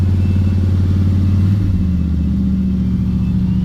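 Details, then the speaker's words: Cold-start fast idle on a 1967 Chevelle V8 with a choke cable, steady low rumble settling slightly; fast idle a bit high, and the choke stays shut when cranking instead of opening. "I will say, like I've said before, the fast idle is a little high,"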